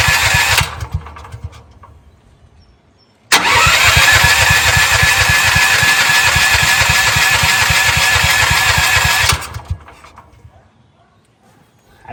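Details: CAT RP7500 generator that sat unused, choke out, fuel confirmed reaching the carburetor: steady rapid starter chugging for about six seconds without firing; cranks but won't start, suspected too much oil in the engine, possibly flooded earlier.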